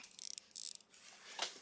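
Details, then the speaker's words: Vintage wristwatch, crown wound by hand to check mechanical versus quartz: faint quick high ticking ratchet bursts as the crown turns, the normal winding click of a working mechanical movement. "just by winding the crown. If there's no vrr, vrr, it's probably quartz or broken."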